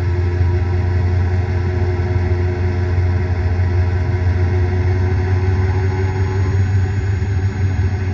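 A steady, deep droning rumble that holds even throughout, with no knocks on top; this points to a worn bearing.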